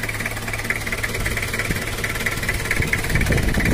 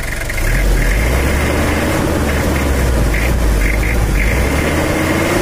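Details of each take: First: Toyota Kijang LGX diesel at idle before cylinder-head service and valve adjustment: loose, uneven ticking knock like a drum "dung dung" over the rumble, two to three a second; idle feels weak, power lacking, radiator leaking; valve clatter from uneven valve clearance. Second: Toyota Kijang LGX diesel after cylinder head service and valve adjustment, previously with a thumping knock and coolant loss: even, steady diesel clatter at idle with a firm low beat and no stumbles; normal idle after adjustment.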